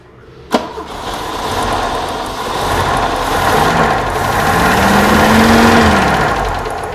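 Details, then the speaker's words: 1969 Opel GT stored 20 years, first start with no coolant system: engine cranks, catches and revs with a lumpy uneven beat; running on three cylinders, plug lead arcing to the body, needs plug wires. "yeah runs pretty good on three cylinders I just saw this arcing against the side of the body"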